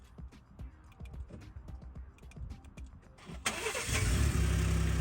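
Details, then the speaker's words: Ford EcoBoost twin-turbo, after adding tension springs to both wastegate actuators to fix rattle following cam phaser replacement: cranking chuffs, then an even, strong fast idle with absolutely no wastegate rattle. Normal cold start. "absolutely no rattle see that that's putting the correct amount of tension on there to keep those little um rivets and uh moving points on that from rattling"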